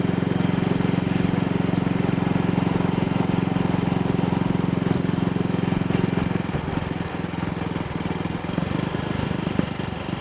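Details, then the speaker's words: Single-cylinder motorcycle on test ride after carburettor (Wassell Evolution, Amal Concentric Mk1 type) fix: twisted, dislodged needle clip reseated after black sooty plug and misfiring; even low-rev thump with no skips, running cleanly where it misfired yesterday. "Running nicely at low revs. Something that she was not doing yesterday."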